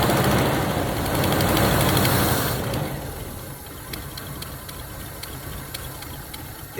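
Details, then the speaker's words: 1977 Chevy Camaro base model, 305 V8, parked almost 20 years, fed starting fluid, float bowl possibly dry: runs loud and ragged for a couple of seconds then dies; starts then stalls. "holy [ __ ] you guys hear that it really just ran it really just tried to run"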